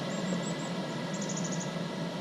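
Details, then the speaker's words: Chinese-made clone of a 12 V diesel truck bunk heater mounted in a portable toolbox, burning about half a litre an hour; off button held, quiet steady fan hum with faint chirps as it winds down, glow plug drawing current; normal shutdown. "press and hold the off button and then you'll hear it starting to wind down"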